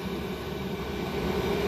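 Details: Chinese diesel air heater running wide open (all red bars) in a garage, exhaust routed through a soda can: smooth, steady roar with even fan hum and no pulsing or sputter, burning cleanly at full output.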